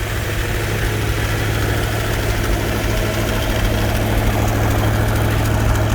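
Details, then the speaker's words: Rebuilt numbers-matching 426 Hemi V8, 425 hp, from a fire-damaged Hemicuda, first fire-up on an engine stand with old pipes after about 20 years: heavy deep idle with smooth even beat, no knocks, ticks or oil leaks. "oh my there's an original dana carr 410 dana we did our initial fire up this morning how did it run beautiful and it still does not even a miracle and no oil leaks no"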